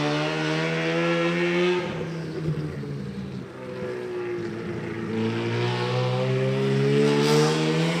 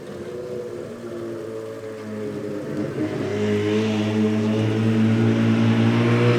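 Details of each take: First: Rotary-powered S15 on a Link ECU with fly-by-wire throttle: idle drops and stumbles, then climbs back to a higher steady note; hunting idle because the idle duty-by-temperature map flip-flops between two duties set between 176 and 184 as the engine warms. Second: Rotary-powered S15 on a Link ECU after retuning idle settings and fixing a transition table falsely activating at idle: low, even burble, steady drone swelling slightly then holding; idle now lower, more stable and more responsive.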